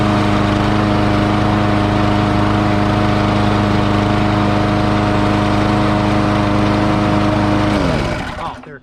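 Steady mower engine note with a mild rise and fall in speed before it shuts down; running fine, just a slight surge.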